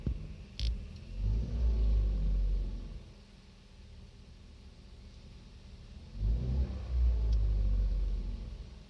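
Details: 2015 Kia Rio, deep engine rumble swelling twice under throttle blips with uneven tapping through the revs; engine knocking, cause not pinned down.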